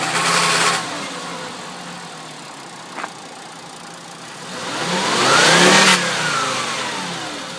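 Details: 2005 Volkswagen Jetta MK5 at about 146,690 km with an engine fault code: idle and a couple of revs, tone slightly uneven with faint stumbles fitting a misfire; cause not pinned down.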